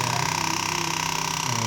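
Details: New HP LaserJet 1008 printer fitted with a compatible toner cartridge that shows an error: a fast, steady buzzing rattle of about twenty pulses a second over a high hum, coming from the cartridge.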